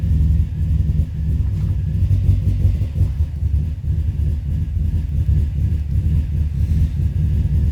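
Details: 2005 Subaru Forester XT at idle, audibly missing; owner found a coil issue and thinks it runs rich, with hesitation on throttle. Deep, lumpy idle with uneven pulses and wavering speed; rough idle, cause suspected, not confirmed.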